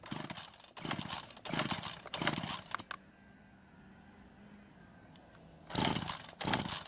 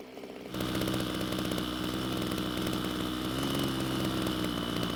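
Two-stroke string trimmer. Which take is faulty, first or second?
first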